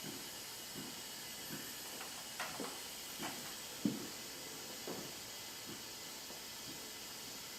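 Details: Hyundai Genesis 2.0T R-Spec, engine off, leak-down test after low compression (110/70/90/90) and milky oil: continuous airy hiss with faint clicks, about 80% leakage escaping the exhaust side; exhaust valve not sealing, head gasket also considered.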